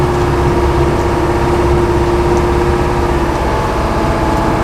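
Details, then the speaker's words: Boat outboard cold start after a suspected sticky carburetor float, one accelerator pump and about half choke: settles into a steady, even idle with a constant low drone, no misses or knocks, warming up. "too bad right we'll let it warm up and we'll head up to the uh head up to the W"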